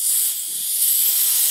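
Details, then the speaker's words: Old second-hand Airmaster air compressor: steady high-pitched hiss, no motor running, air constantly leaking past the tank drain valve; owner suspects a dodgy washer or O-ring, or corrosion inside the tank. "the poor drain valve seems to just constantly leak and hiss but I mean to be fair that's probably just a dodgy washer"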